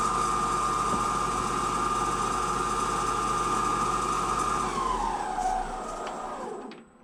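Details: 1 kW 95 V three-phase brushless DC lathe motor, removed from the lathe, first run on an Invertek OptiDrive VFD in BLDC vector speed control: steady high whine for four seconds, sliding lower as speed is turned down before stopping; runs smoothly.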